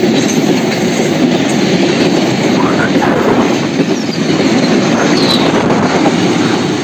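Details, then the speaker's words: Indonesian passenger train on continuous welded rail with no gaps between rail sections: steady rolling roar with the tek-tek joint clatter almost inaudible; smooth normal running. "Iya guys suara tektek tektek tektek hampir tidak terdengar ya guys ini karena memang rel sudah tersambung dengan mas tidak ada renggang di antara dua rel ya"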